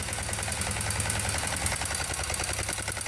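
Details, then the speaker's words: 2001 Kawasaki Bayou 220 ATV (2WD), bought not running: steady metallic rattle at about three per second over a rough single-cylinder idle. Engine rattle, cause not yet known; owner thinks an oil change may help and plans a valve check. "that's the rattle noise right here feel it hitting that"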